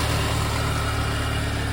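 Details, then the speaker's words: VW MK2 Golf GTI 16v after sitting about six weeks, first start on a fresh battery, listened to at the engine. It settles into a steady, even low idle with no knocks, misses or hunting. Normal idle. "Yeah, that sounds good. Wow, that's brilliant. That's so good. Yeah, that sounds really good."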